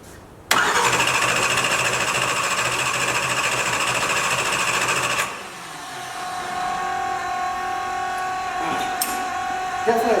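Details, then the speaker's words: 572ci 481X race engine in about 40° weather, cranking: steady, fast starter churning with no firing. It won't start because there is no spark; the MSD 600 was probably left unplugged, so the coils likely had no power. "sparks I probably didn't plug in the MSD 600 so actually the coils are not on"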